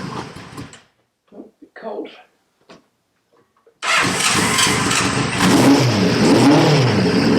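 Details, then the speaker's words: CB550 four-cylinder, long-sat project, restarted after tapping the overflowing number one carb: it catches and runs smooth and even with no knocks or rattles. The carb overflow is still unresolved. "right at least we don't run so i'm happy that's a result and it sounded sweet no nasty knocks or rattles there"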